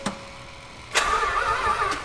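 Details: Mazda Cosmo rotary, a rare JDM car, with oil in it, starter test: steady high whirring crank for over a second, engine never catches. Possibly no fuel in it; fuel line to be pulled. Cranks, no start.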